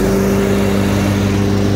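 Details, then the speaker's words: Craftsman 42-inch zero-turn mower, 380 hours, brand-new spindles and pulleys: steady engine drone with blades at even pitch, no wobble or rattle; smooth deck, no vibration. "nice smooth deck no vibration or anything"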